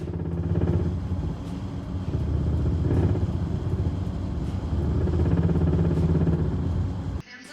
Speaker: This customer just had an oil change when this noise started up on the way home. They freaked out thinking it was the engine knocking and took it back to the mechanics, but it was just a loose plastic cover underneath.